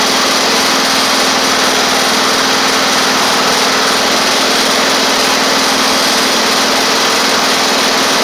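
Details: Toro Z2550 zero-turn small twin needing fuel system work, running on its own while driving: steady, even high-pitched buzz with no misses or surging after a brief stumble; running normally, with a suspected flywheel magnet charging fault.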